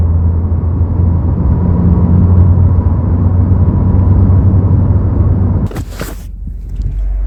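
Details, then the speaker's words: 2022+ Subaru WRX with an STI-style wing, after installing a whistle-eliminating kit, driving at about 70 mph: steady low road and engine rumble with the former spoiler whistle gone. "right you guys so I don't hear the whistling sound anymore which is kind of weird and I'm so used to it"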